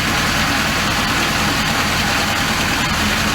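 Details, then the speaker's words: Volvo Penta 5.0 GXi-C in a 2003 Chaparral Sunesta 242, after fitting MarineTorq stainless steel manifolds and risers, temperature readings 140–150. Smooth, even idle with a steady low rumble and no ticking or sucking exhaust leak: normal, healthy idle. "you want to listen for like ticking or exhaust sounds like a sucking sound all in all very very good very happy"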